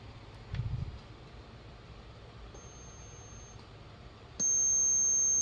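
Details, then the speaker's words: Late-1970s/early-80s solid-state AM transistor radio with no AM reception, test signal injected at the volume potentiometer to isolate the amplifier: clean steady high-pitched tone through speaker for about a second; audio amplifier working. "There. It has sound. It means it is working. It means the amplifier is working."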